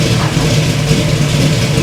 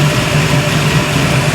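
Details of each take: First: 1971 Chevy Nova V8, high-rise intake, no choke, run only a couple of minutes, idle about 900 rpm: loud rumble blipped several times, revs hesitate on the way up; stumble under throttle, owner suspects it's still cold. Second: 1971 Chevy Nova V8, recently revived, coolant just added, timing set, still fairly cold: even, steady low burble at about 900 rpm idle with no misses or knocks; normal idle.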